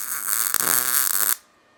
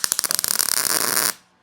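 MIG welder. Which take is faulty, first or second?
second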